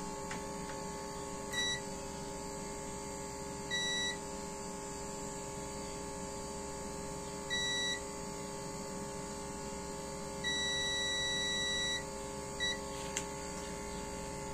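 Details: Car audio amplifier repair with a broken trace and a burnt resistor: the multimeter continuity tone sounds as the probes touch the output MOSFET, short and long beeps over a low hum, showing the MOSFET is shorted.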